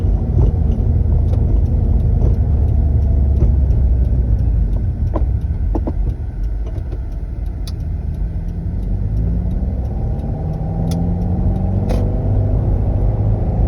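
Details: Engine running steady with scattered sharp clunks every few seconds as the clutch is worked, despite a replaced clutch kit, release bearing and clutch fork/release arm. Source unclear. Clutch clunk.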